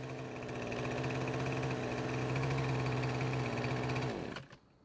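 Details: Husqvarna string trimmer, small two-stroke, after carb reinstall and a new ignition coil: even steady high buzz holding speed without surging or dying, then clean shutdown; runs better than ever and no longer stops as before.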